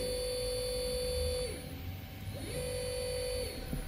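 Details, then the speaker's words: CNC router servo motor with T3D series servo driver (HL-T3D-L20A-RABF) in jog mode set to 3000 RPM: clean, steady whir then wind-down, no vibration or rattle, very stable and quiet. "Não treme, não tem nada de vibração. É muito, muito estável, tá? 3.000 RPMs. Muito estável, muito silencioso, tá?"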